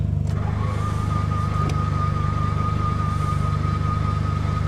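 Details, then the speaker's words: Car in snow and ice: the starter chugs steadily about 3.5 turns a second with a thin whine and never fires; suspected dead fuel pump or seized piston rings with no compression. "That does not sound good. I think this engine's cooked. Okay. That's not good. Well, all that trouble for nothing. It doesn't start."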